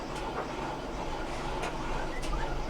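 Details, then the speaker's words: GE DDG7980GELWH dryer on a timed cycle with a load of clothes: a low, continuous rumble with rubbing as the drum turns, plus shaking. Worn drum glides let the drum drag; the fix is the WE25X60 slide assembly kit. "all right we are on a GE dryer that is making a little bit of noise so we're going to put it on the the time cycle and hit start"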